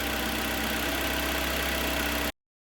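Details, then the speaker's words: Mitsubishi Lancer 10, 1.5 4A91, after engine rebuild, heard from outside: smooth, even, quiet idle with a steady hum and no knocks or ticks; normal idle. "Ага работает ровненько работает тихо самое главное"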